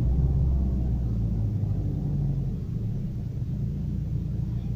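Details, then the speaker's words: Daewoo Lanos/Nexia-type engine after throttle position sensor calibration to 0.55 V, restart: revs start high then ease quickly down to a low, steady idle, no misses or knocks; normal start and idle. "тушим еще раз заводим должно быть около 2000 сразу оборотов потом они должны упасть"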